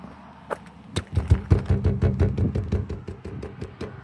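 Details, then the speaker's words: 1998 Nissan E50 Elgrand van, about 10,500 miles in a year of ownership: light tinny taps and rattles fade out after the door is jarred; door rattle that first started with the window glass, with a crushed door gasket suspected. "It's like this really annoying rattle. It first started with the window. The glass would rattle."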